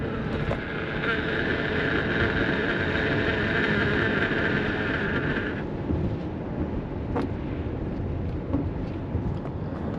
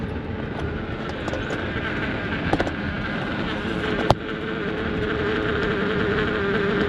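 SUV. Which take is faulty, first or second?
second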